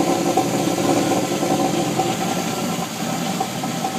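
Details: 1989 Jeep Wrangler YJ with 4.2 258 engine idling with uneven popping, about three or four pops a second, from the pulse air system; owner suspects improper timing and fuel delivery, and the noise went away after a Motorcraft 2100 conversion and timing adjustment.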